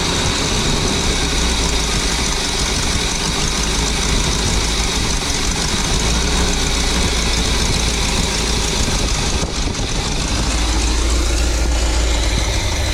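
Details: Birchaven motorhome V8, Quadrajet carb, after 12 years stored, fed from a gas can, radiator cap loose: settles into steady, even idle with deep low rumble, no knocks or ticks; oil pressure up nicely, normal idle.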